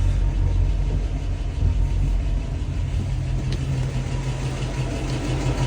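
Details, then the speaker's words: 1966 Mustang in drive after half-shaft bearing replacement, rear disc conversion and differential maintenance, previously noisy rear left wheel: low even engine rumble, no whine or growl from back end; rear axle quiet. "yeah this is dry and he's working nicely listen down there nice and quiet"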